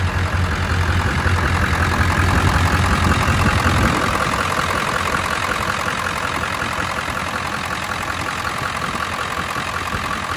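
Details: 1999 Ford F250 Super Duty 7.3 Power Stroke diesel, sat for years: runs, brief rev then a steady even idle clatter, no misses or heavy knocks; normal idle.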